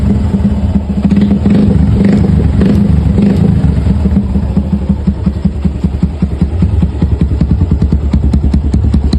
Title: Piston slap sound of motorcycles.